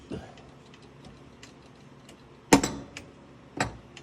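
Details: STTNG pinball machine solenoid test, investigating a suspected diverter hum: quiet background with a few sharp single clacks from the bumper coil firing, no buzz or rattle after; solenoid working normally.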